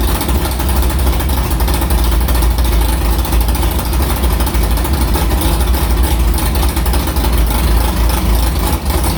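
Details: Carbureted V8 hot rod after the Prosystems carb's idle air bleeds were swapped from .070 to .055 following a track carb issue, ~80°F day, started quickly; deep, steady, even lumpy burble with no misses or stumbles, a normal clean idle.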